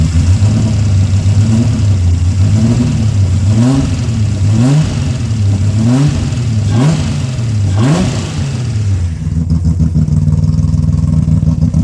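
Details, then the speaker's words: Rebuilt Ecotec race car engine after a melted piston, first run: smooth idle broken by about six quick clean blips rising and falling freely, no knock or tick; oil pressure above 60 psi idle, 80 revving; healthy. "There is nothing wrong with that motor. She's sweet, she's running really good oil pressure, above 60 on idle, up to 80 when you rev it. She sounds sweet."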